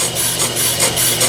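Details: ACCU-TURN brake lathe model 8994 resurfacing a brake rotor, first cut with low spots visible on both sides: steady hissing scrape with a slow rhythmic swell each turn as the knives near the end of the pass; normal cutting.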